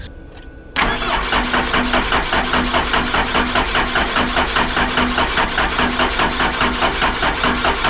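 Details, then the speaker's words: 1978 Ford Bronco 351M after installing the intake manifold, cold morning: the starter churns at about 2.5 pulses a second for seven seconds and never fires. Fuel sprays from the injectors; air in the system is suspected. "let's go ahead and crank it over and see if we get any fuel well she's pissing off the injectors that's a good sign I got the camera doused in diesel"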